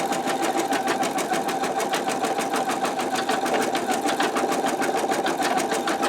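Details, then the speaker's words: Embroidery machine stitching at medium speed (one notch above lowest) while testing a 10.2 x 8 inch MagnaHoop magnetic hoop; sound rises slightly from the slower setting, with quick, even stitching chatter and no knocks or catches; normal operation. "so this is a medium speed for my machine so I'm going to go ahead and see how it does on that and you can hear that it has increased in the sound just a little bit"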